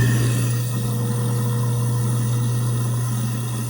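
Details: Garbage disposal running after a declog. Smooth, steady motor hum with no grinding or rattling; it spins freely and runs normally.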